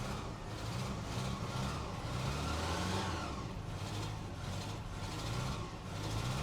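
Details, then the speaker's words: 1988 Ram 50 mini truck with a carburetor, motor believed blown, running only with added fuel. Engine revs up and down unevenly with a lumpy low note that never settles and won't idle on its own; rough running, cause unconfirmed. "It don't quite sound right. But will it idle on its own? Nope. Nope. Nope. No, it will not."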